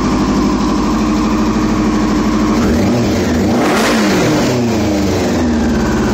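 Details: 2001 Yamaha R6 at idle: fast, buzzy idle with uneven pulses and a brief rev blip; it never settles into a smooth idle, so this is a rough idle.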